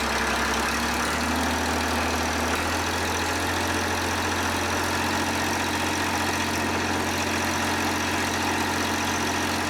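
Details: John Deere 350B bulldozer, rebuilt diesel engine: low, steady rumble settling into an even idle with no misses or knocks; normal idle.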